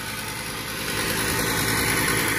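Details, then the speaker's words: 6-ton Trane package unit found during preventive maintenance, ignition module flashing a three-blink pressure switch code: draft inducer motor gives a loud, harsh roar with a rattly hiss while still blowing air; failing inducer motor. "still blowing air but it's as I'm sure you can hear it's very very loud now"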